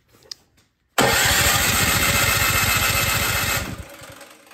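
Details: Troy-Bilt Storm 2665 snowblower that sat all summer with gas in it, with choke on, primed and throttle on. The starter spins the engine evenly for under three seconds, but it never fires: cranks, no start.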